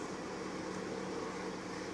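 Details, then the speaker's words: Toyota Lite Ace Noah at idle after adding power steering sealant additive: steady low hum from the pump as the wheel is turned left and right; the instructions say it clears within 150 km, and it later did. "гидрач гул идет пройдет только через сто пятьдесят километров написано в инструкции"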